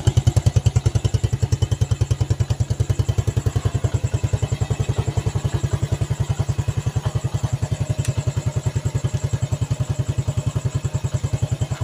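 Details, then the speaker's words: Yamaha Vega ZR single-cylinder motorcycle, warm, after engine work on the piston and camshaft plus a replaced valve guide, previously smoking heavily: even thumps about three or four a second, steady with no misses; clean idle, no longer smoking. "Suaranya sudah mantep dan nggak ngebul."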